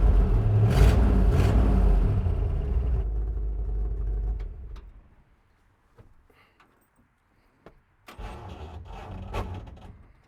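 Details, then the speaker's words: 1960 El Camino that had not run since 1998, being started in gear: heavy, labouring starter cranking for about four seconds with no catch. The starter skipped and may shear its teeth; the clutch issue must be solved. "Tried to start it in gear, and it just doesn't have the cojones to do that. In fact, I heard it skip, and so I think it's trying to shear the teet"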